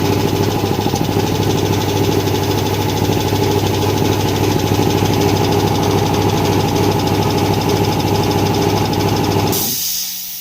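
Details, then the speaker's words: Flea-market air compressor refitted with homemade copper feed lines, at full pressure: steady pumping chug stops, then a short sharp hiss as the unloader vents head pressure at shutdown, which is normal. "Whenever compressor stops, you must hear that That means it releases the head, the pressure of the heads."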